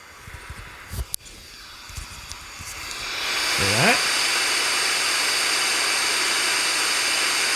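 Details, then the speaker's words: Steady hiss like an untuned radio from a bare zener diode swapped in without its tantalum capacitor across it; the same circuit was quiet with the cap. Zener diodes are very noisy and need a decoupling capacitor across them. "Hear that static rushing noise in there? That's because Zener diodes are horribly noisy, and they need decoupling. They need a cap across them to get rid of that."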